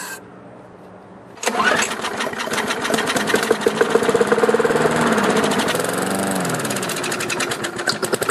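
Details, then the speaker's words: Lawnmower after fixing hydro-lock from excess oil in the cylinder, started with quick start spray: silence, then it catches on the first pull and runs fast and slightly uneven, expected to smoke while burning leftover oil. It starts and keeps running. "now when you start it it's going to smoke like crazy but that's normal because it's just burning the excess oil that's left over in the cylinder"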